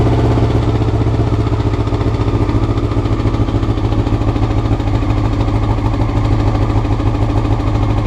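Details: Honda CBR motorcycle, clip from before the float needles were changed: uneven, loping exhaust beat at idle that never settles; rough idle, cause suspected, not confirmed.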